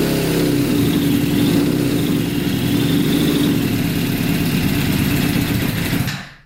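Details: Custom Yamaha Banshee with 600cc sport bike engine swap, not run in a while, no tank fitted, choke on after freeing a leaking carburetor float: strong, steady revving about six seconds, then abruptly fades and dies; stalling from fuel starvation.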